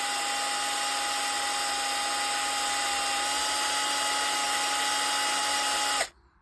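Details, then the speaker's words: Bosch GSR 12V-15 Professional drill with newly fitted motor, case on but unscrewed: steady, even high whine holding pitch six seconds then cutting off cleanly; motor runs fine, no smoke before the case is closed. "Watch this. So, you can hear the motor is running fine."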